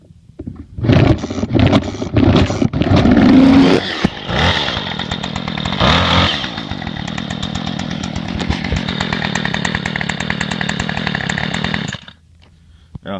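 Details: Murray M2510 25cc two-stroke string trimmer: a few starter pulls, then it catches and buzzes steadily for about eight seconds before cutting off; running healthily.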